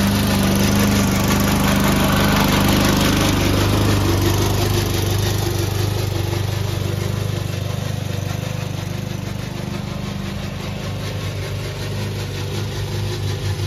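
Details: Old Toro Recycler mower, still cutting Kentucky bluegrass, with a steady engine drone and a regular rattling clatter about three per second from the dry drive system; the noise was later cured with WD40.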